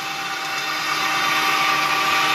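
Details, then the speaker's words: Homemade propane-tank ball mill, belt-driven on aligned wheels, marbles as media: steady motor whir with constant light rattle of marbles tumbling and sliding; smooth even running, no knocks. "So you can hear the marbles bouncing around in"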